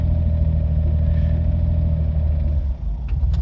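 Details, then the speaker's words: Autozam AZ-1/Suzuki Cara with a Keisport plug-and-play ECU, cold start around 40–44°F after sitting over a week: an uneven rumble, sagging and surging without throttle, with clicking heard at the rear. The idle hunts and won't settle; the cause is not confirmed. "now I let go it's hunting again it's really unstable"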